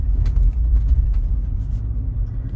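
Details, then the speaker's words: Tesla Model Y with Maxxis spare on rear right wheel, Slip Start on, driving: low steady rumble with rapid uneven pulsing; traction control repeatedly applying brake, felt in pedal, as it thinks that wheel is faulty. "now when that comes on it hits the brake yep slip start still being shown here yeah you can hear the hear that that's the uh traction control uh here pumping that brake"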